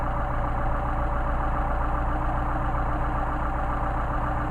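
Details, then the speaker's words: Solex carburetors tested on an engine, idle/mixture screw being adjusted through its range: steady, even low idle with smooth unbroken beat, no misses or hunting; runs best in this range, mixture set right. "And from here, it sounds like it works really well in that range right there."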